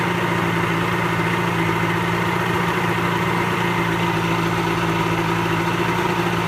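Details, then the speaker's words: Pelin Nomad boat's old two-stroke outboard, not quite cold, on fast idle with lever forward after a crank; smooth, even steady low hum with no knocks or misses, normal healthy running; only a drip from the telltale out of water. "Alright, so I'll just push that in, move the old lever forward, and we should be a bit of fast idle then, give it a crank."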